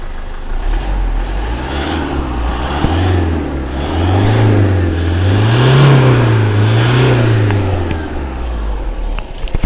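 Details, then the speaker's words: 2012 Toyota Fortuner G VNT 2KD turbo diesel automatic, 152,000 km, serviced, no blow-by, healthy transmission; several throttle blips rise and fall smoothly with even clatter, no knocks, crisp healthy diesel sound. "dieselnya garing ya bosku. Nah ini mesin sudah prima, sudah diservis GMS, transmisi sehat."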